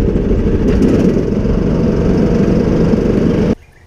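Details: John Deere D110 lawn tractor single-cylinder engine, running on choke after fixing a no-crank fault, idles steady and even for a few seconds with no misses or knocks, then shuts off; normal running.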